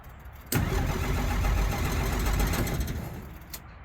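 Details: 1963 Jeep Gladiator, cold, with pedal pumping; steady starter cranking about four turns a second for three seconds without catching; cranks but won't start, owner suspects the electric fuel pump or fuel tank.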